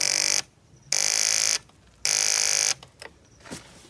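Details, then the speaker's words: Gatoma GT150A motorcycle, battery one year old, reading 12.17 V, ignition and fuel on, kickstart removed: three short, harsh electrical buzzes on pressing start with no cranking; starter relay chattering from a weak battery. "So, could it be the battery? Oh, it's something else. What do you think?"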